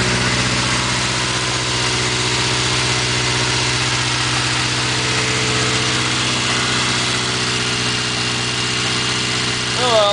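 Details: 1980 Triumph Spitfire 1500 on a cold day, carburetor replacing a Stromberg that wouldn't run right; steady, even idle with smooth regular beat and no misses or surging, normal idle.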